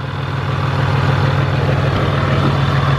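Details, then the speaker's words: 2017 Cummins diesel truck after fitting a South Bend 3250-GK dual disk clutch with a single mass flywheel replacing the dual mass: steady quick gear chatter about three per second over the idle rumble, gear rollover rattle. "so there you have a representation of kind of the gear rollover in this truck with the South Bend that's pretty much from removing the dual mass flywheel and going to a single mass flywheel"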